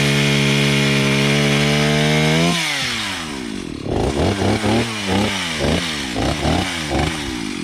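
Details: Stihl 031 AV chainsaw from about 1974–76, carb cleaned after five years unused, with a freshly sharpened chain, cutting a wedged fallen tree. Screams steadily at full throttle, then pitch drops and pulses with each bite and recovers cleanly; healthy cutting.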